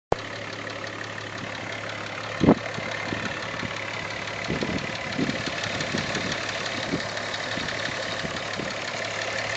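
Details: VR6 idling just back from the shop: fast, light, regular ticking over the engine note, also ticks when revved; owner unsure if normal and notes a pulley appears to wobble.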